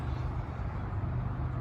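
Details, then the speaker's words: Honda GX690 pressure washer engine running with a steady, even low rumble and no knocks or misses, after a no-start was fixed by replacing a faulty fuse and reconnecting the battery; normal running. "and then we hooked the battery back up fires right up so"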